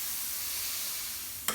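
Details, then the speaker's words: Disposable Dolium keg being filled manually at a brewery: steady gassy hiss then a sharp burst as the coupler head pierces the pre-pressurised keg and gas escapes; normal CO2 release when tapping. "Enfin bref, voilà, on percute le fût. Donc évidemment, il y a du gaz qui sort."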